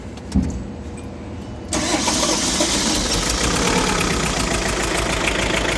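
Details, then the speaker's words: Diesel with a chuffing noise, suspected burnt valve, head gasket burnt between two cylinders, or faulty hydraulic lifter: uneven, lumpy idle with a rough chuff and stumble; a misfire, head gasket burnt between two cylinders suspected, rocker still to be checked. "araçta çuf çuf ses var Belki sibop eritmiş belki iki silindir arasında conta yakmış"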